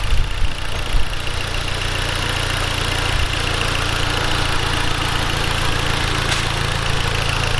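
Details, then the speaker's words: Tuned Mustang on the dyno with Boss 302 manifold and long-tube headers: smooth, quiet, steady idle with no ticking or knocking. "so far everything sounds good no there's nice and quiet"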